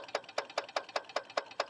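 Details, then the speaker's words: Carbureted vehicle confirmed to need a new starter solenoid and fuel pump, engine off: sharp, even ticks about four per second as the electric fuel pump is triggered by hand and clicks while pumping fuel into the carburetor. "It's supposed to pump the fuel just by me holding the start button when it's supposed to be when that's unplugged, but I guess it really doesn't matter. But if I do this, I'm actually causing this fuel pump to pump fuel into the carburetor."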